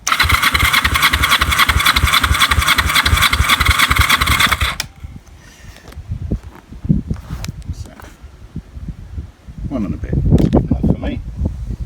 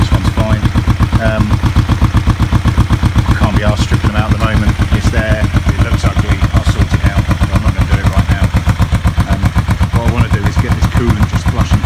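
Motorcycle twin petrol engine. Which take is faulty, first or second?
second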